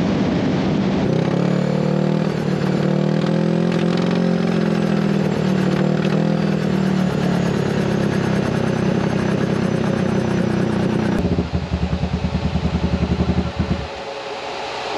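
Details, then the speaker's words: KRX1000 on a full-speed run at El Mirage aiming for 100 mph, falling short: steady high-revving drone turns choppy and stuttering near the end as power falls away; air-fuel ratio looked good; breaking up, tune suspected, cause unconfirmed. "for us standing by the cameras we actually kind of could hear it kind of breaking up a little bit so maybe the tune is not good or maybe we heard something we don't really know"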